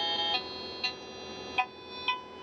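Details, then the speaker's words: Toyota, Lexus or Dodge 2007-and-up blower fan, homemade acoustic probe on the PWM control wire and negative as the blower is switched on: thin steady high tone with soft ticks about every half second, control signal arriving, circuit working. "So in this case it's hooked up to the PWM signal and negative. Right now the blower is off. Once I switch it on, we can hear the signal, the acoustic signal, and with increasing speed,"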